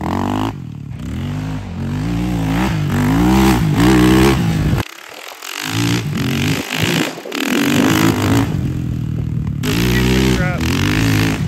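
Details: Yamaha Raptor 660R single-cylinder ATV with a new top end, adjusted valves and new battery. The big single revs up and drops back repeatedly, crisp and even, idling steady between blips with no top-end clatter; normal running.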